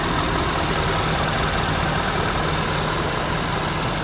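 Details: Ford F-250 Super Duty at idle: steady, even diesel clatter with no odd knocks or misses, just the usual injector rattle; a healthy idle.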